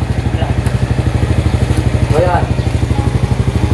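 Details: Honda Supra Fit motorcycle single-cylinder being test-run after a burnt stator coil repair; steady putter of about three beats a second, even with no misses or stumbles. A rubbing noise was noticed earlier.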